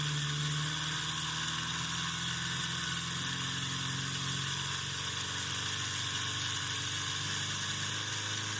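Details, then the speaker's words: Homemade brushed DC motor, about a year old, on a power supply at raised voltage and high rpm: whir with rough buzzing vibration absent at first start; a small imperfection grew into a bent-shaft imbalance. "now that vibration that you could hear that wasn't happening when i first started the motor in fact it was running so smooth at first that i thought it would always stay that smooth"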